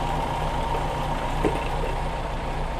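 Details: Older VW Polo with a 1.4 petrol engine, started during fault-finding on a no-start complaint: a steady, even idle with a constant low hum and no knocks, ticks or hunting; it idles normally.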